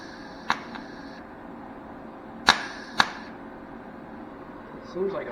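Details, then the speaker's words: MIG welder at about 14 and 2.5 wire speed, wire speed set low: a few sharp isolated cracks seconds apart instead of a steady sizzle; arc intermittently fails to strike and burns back, wire feed setting suspected. "see that's it's done that a couple times where it won't Arc and then it'll like burn back try it"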